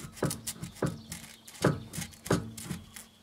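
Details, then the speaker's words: Sway bar bushing squeak on a 2006 Mercedes C200 CDI: slow, repeated dry rubber-on-metal creak, about one every three-quarters of a second, as the anti-roll bar is worked by hand; it squeaks badly over speed bumps, and both front and rear bars are being replaced. "Vous entendez le grincement? pas le bruit, hein, c'est métal, et on entend le fameux grincement de caoutchouc sur la pète."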